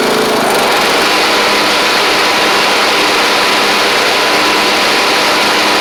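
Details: Troy-Bilt Pony riding mower with replacement engine and new head gasket, slight smoke at startup: steady, even high-pitched single-cylinder drone, no knocks, misses or surging.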